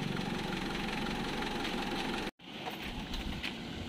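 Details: Mitsubishi Adventure 4D56 diesel after replacing failed glow plugs that caused hard morning starts: steady diesel clatter at idle with an even knock rhythm and no stumbling; healthy running.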